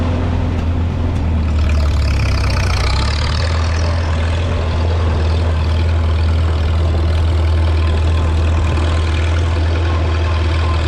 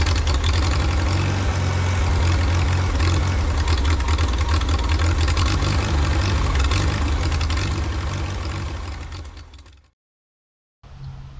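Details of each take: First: 1952 Farmall Super C tractor after distributor work (rotor prong bent up; owner unsure if stuck mechanical advance caused the miss): deep, steady low thump at idle with even beat, no misses or knocks, smooth and healthy. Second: 1952 Farmall Super C tractor after fuel system repairs, compression even on all four cylinders: runs low and steady, then sags and cuts out briefly before catching again, stumbling on acceleration; owner suspects ignition timing or spark.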